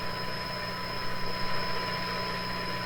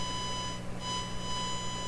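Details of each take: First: Eveready Model 32 tube radio, repowered with heaters warm, driving a large speaker (roughly 8 ohms) from a signal generator: steady clear test tone over low hum with a brief chirp of interference from shop computer equipment. Normal audio output. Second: Eveready Model 32 tube radio into a large 8-ohm box speaker: steady test tone comes out harsh, buzzy and clipped because the signal generator input is too strong, overloading the radio.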